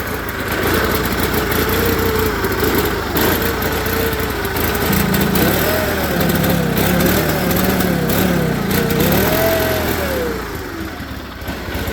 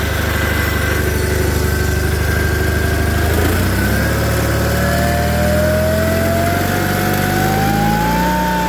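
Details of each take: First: Onan twin in a John Deere 318 garden tractor, new OEM carburetor fitted and valves adjusted by previous tuner, runs real rough, lumpy and surging, wants to stall and won't take throttle even at full throttle. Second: John Deere 318 garden tractor with Onan B43G twin, after fixing rough running with OEM points and condenser plus full tune-up (plugs, wires, filters, oil, timing): runs smooth and steady, pitch climbing evenly with revs, no misses or popping; healthy.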